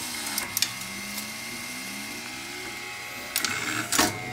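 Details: Betson claw machine after limit/home switch repairs, during gameplay testing: whirring motor tones sliding up and down as the gantry moves, with a few firm clunks from the claw; normal operation.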